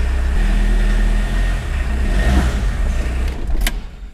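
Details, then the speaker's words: 1981 VW Rabbit pickup diesel after refitting the belt, which had squealed before: engine runs with a deep, steady rumble through a brief rev and no belt squeal; battery light usually comes on when revving. "I think the squealing is gone"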